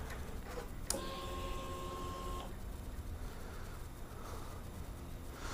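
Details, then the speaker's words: Kawasaki Vulcan 900 fuel-injected motorcycle, key-on prime after reinstalling the gas tank: a click, then a quiet electric fuel pump hum for about 1.5 seconds that stops; normal fuel pump priming. "All right, so what we're gonna do is prime the bike. You hear that? That's that fuel injection right there."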